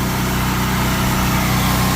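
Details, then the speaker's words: 7,000-watt portable generator running a 3.5-ton AC condenser after installing an ICM 870 16A soft start module: steady, loud drone with no dipping or surging as the load comes on; no bogging at all. "generator didn't make a sound didn't bog down didn't bog down at all"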